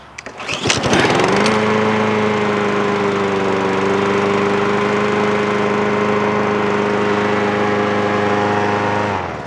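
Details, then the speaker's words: Mower running; catches after a few coughs, then a clean, steady drone with no surging or misfire. "all right so this thing's a running so I have to uh clean up real quick"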